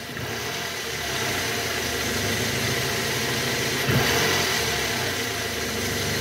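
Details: 2009 Toyota Harrier 2AZ-FE 2.4 L after balancer shaft replacement, AC on, shifted from neutral into R and revved: smooth, steady engine note with no rough grinding or knocking; normal idle.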